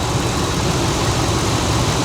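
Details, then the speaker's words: 2001 Ford F-150 pickup, a junkyard truck that sat for years: smooth, even low idle at about 700 rpm with a steady rhythm and no hunting or stumbling, running much better after a makeshift fix; normal idle. "Okay, watch. It's going to run significantly better here in a second. Now it feels great."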